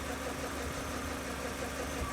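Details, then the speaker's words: BMW E31 850i V12, revived after 10 years' neglect, idling with belts off: uneven rattling chatter over the hum from inside the engine; stethoscope traced it to the timing chain tensioner. "After listening around with a stethoscope, I narrowed it down to the timing chain tensioner."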